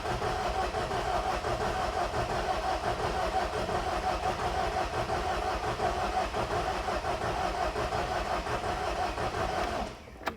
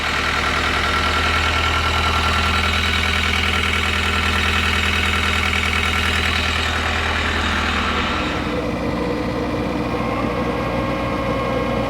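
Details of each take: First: 2010 John Deere 320D excavator, John Deere 4024 engine, hard to start cold: sluggish, uneven starter churning about three beats a second with no catch, slowing down, slight smoke. Slow cranking from weak battery. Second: 2010 John Deere 320D, 4024 diesel, bought at auction as hard to start and rough running, after it catches on more cylinders: steady even diesel idle settling lower, brief alternator belt squeal; normal diesel idle.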